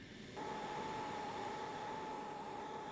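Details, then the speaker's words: Oxy-LPG cutting torch with excess oxygen: sharp, steady hiss with a clear high whistle near 850 Hz; an oxidising flame. "this is an oxidising flame."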